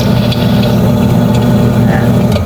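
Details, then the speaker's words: Top-load washing machine, drum running: steady low droning hum with a rough, gritty edge that comes and goes; the wash motor is faulty and gets replaced. "So dito po natin malalaman yan kung alin yung gearbox or yung motor. Ayan po. Ayun o. Ayan po, umiingay, nawawala-wala."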